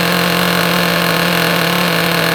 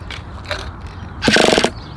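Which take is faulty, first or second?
second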